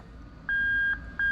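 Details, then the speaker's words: Lexus IS200 with IS300 2JZ-GE VVT-i swap, plug-and-play harness, remapped ECU and J160 6-speed manual: bridging the reverse switch sounds two steady mid-pitched reverse warning beeps, the normal IS200 reverse buzzer working. "and lo and behold there's the annoying i-200 beep"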